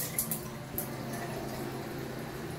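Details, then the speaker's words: Shower panel on a very high-pressure supply, run at usual flow with the rainfall head leaking: steady, loud rushing hiss of water with no rhythm; excessive flow noise, likely from the high water pressure. "so that's about the speeds that I usually have it on it's just super loud"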